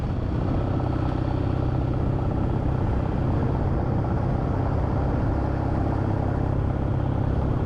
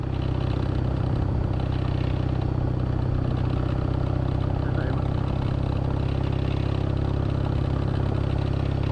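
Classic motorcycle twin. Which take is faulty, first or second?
second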